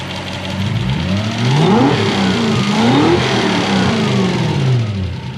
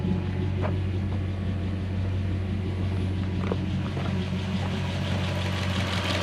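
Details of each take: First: Toyota 1UZ-FE V8 swapped into a Mazda B2500 ute, with big injectors and twin fuel pressure regulators. Revs surge up and down unevenly with a rough, knocking clatter over them. Running rough; cause unclear. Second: Mazda B2500 ute with swapped Toyota 1UZ-FE V8 after repairs: a quiet, low, even idle with steady rhythm; the earlier popping and loud, harsh injector ticking are gone.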